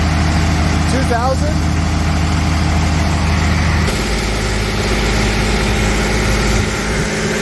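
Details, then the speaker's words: 1992 Toyota pickup, freshly rebuilt 3VZ 3.0 V6 on break-in oil, first startup, 20-minute break-in: steady even hum at raised revs with one small tone shift, no knocks or misses; running cleanly. "all right just checking to make sure everything's running good and then I don't have anything major going on"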